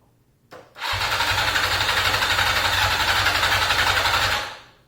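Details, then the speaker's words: 1982 Yamaha XJ550 Maxim, sat 25 years, carbs mostly rebuilt, cylinders oiled, clutch in: brisk even cranking with compression, about four pulses a second, never fires; cranks but no spark. "Turns over. Sounds like it's got compression. It does have 4 plugs in it. I didn't see any spark."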